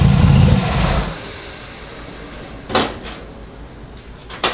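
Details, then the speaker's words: Turbo Chevy Nova V8 started after sitting since about 2019, rebuilt with opened-up oil clearances, an added accumulator and finished exhaust: deep loud rumble settling to a steady burble with sharp blips, healthy. "thing sounds good dude I think it's gonna run pretty good too don't get me wrong I love ls's but you'll never make one sound like that that sounds great"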